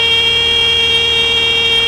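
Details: Light training aircraft in a power-on climbing stall at full power with right rudder held: a steady, piercing stall warning horn sounds as the wing nears the stall.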